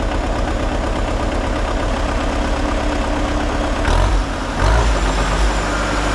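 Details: Takeuchi TL150 track loader diesel after engine reinstall, fuel pump fed via temporary wire; idles with steady low rumble, a couple of brief throttle blips, then settles evenly; runs healthily.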